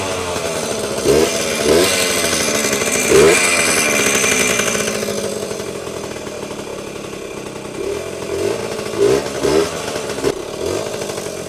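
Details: Vintage Yamaha GT80 Enduro (1977–79, exact year unknown), small two-stroke, first start after sitting unused a while, oil just changed, on choke: crackles and buzzes on throttle blips, returns cleanly to idle, little smoke; normal healthy running.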